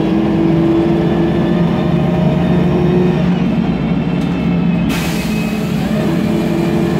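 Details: MAN Lion's Classic CNG city bus (code 07-527), MAN E2876 LUH03 EEV turbo engine, Voith DIWA 864.3 4-speed automatic, pulling away: a steady whine over the engine, from a noisy Voith automatic with slight differential whine.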